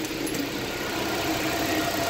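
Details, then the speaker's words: Nissan Sentra, about 131,860 km, after fixing P0302 cylinder 2 misfire by replacing a spark plug missing its electrode tip: smooth, even petrol idle with steady note and no stumble or misfire. "spark plug na walang anan so Okay na start na wala n start so wala na tayong misfire so Ayos na Ong ating centra wala ng mpire wala ng palag"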